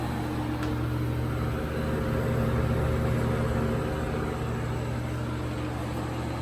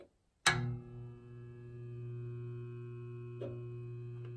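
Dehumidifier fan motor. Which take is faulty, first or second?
second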